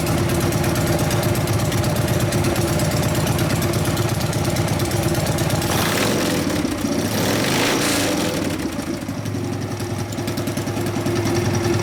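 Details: 1999 80ci Evo V-twin, after rejetting (low-speed jet 29.5): loud lumpy idle with quick rev climbing and dropping back cleanly, taking throttle better, sounding healthier; normal throttle response.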